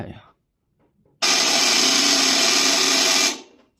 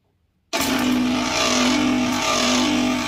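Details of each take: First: 2-horsepower floor-standing air conditioner, outdoor unit's seized compressor fed 220 V directly on terminals 1 and 2 with its original good 40 µF capacitor: harsh loud buzzing roar for about two seconds, then cuts off without starting. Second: Two-horsepower cabinet air conditioner outdoor unit with a seized (stuck) compressor, started using a large-capacity capacitor hard-start; steady even loud hum, no knock or rattle; compressor now running normally.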